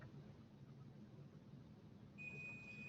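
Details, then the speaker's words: Digital multimeter set as continuity checker, connected across wires inserted in two holes: faint room hiss, then a steady high-pitched tone from about two seconds, circuit closed. "now what i'm going to do is i'm going to take my meter which i have set as a continuity checker i'm going to connect this up i'm going to connect this up"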